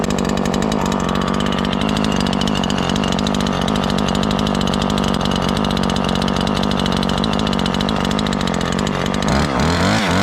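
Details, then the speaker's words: Ported Husqvarna 543XP chainsaw during a cut: steady loaded roar with an uneven burble underneath; high-speed mixture too rich, four-stroking under load, to be leaned out. "Still four-stroking even though you get under a good load, so we can still lean it a little bit."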